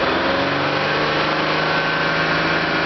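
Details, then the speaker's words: 1987 BMW 325e with a bad muffler, running extremely rich: with the foot off the pedal the idle holds a steady raised hum, about 2500 rpm, well above normal with no surge. The idle is running too high; cause unconfirmed. "It sounds like it's hitting about 2500 RPM right now. And my foot is off the pedal."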